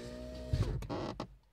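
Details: VAZ 2115 power window: motor hum steady, drops as glass reaches top, then a couple of dull knocks; foreign noise only at top of travel; removing the second door seal made the problem disappear; tightening the screw under the door handle also credited.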